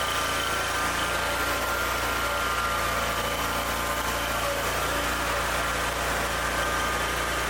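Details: Ferris zero-turn mower after troubleshooting, new battery and repairs: smooth, steady engine hum with no knocks, misses or surging; normal, healthy idle.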